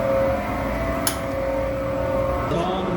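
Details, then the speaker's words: Boilers after a reset on a 22-degree day: steady roar with a constant hum underneath and no popping or rumble as the burner fires evenly; two of four boilers are running, the others are not, possibly an ignition fault. "so two of the four boilers are on the other one's not so much"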